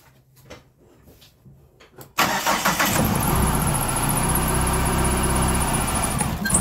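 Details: Chrysler PT Cruiser crank-no-start, towed in, starting fluid sprayed into open intake: a few quiet seconds of cranking, then it catches and runs; spark and crank sensor fine, fault is fuel delivery, fuel pump leaking.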